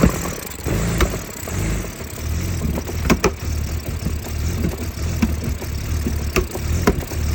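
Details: 2004 BMW E46 325Ci with rough start; uneven, lumpy idle with sharp pops every second or so from the intake manifold, like backfiring into the intake.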